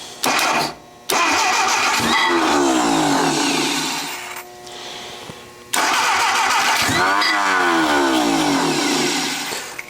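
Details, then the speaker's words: Junkyard Willys engine, timing suspected way off, possibly flooded: strong even starter cranking for several seconds without firing; cranks well but won't start, likely needs more fuel. "cranking it good just not starting yet we need more fuel"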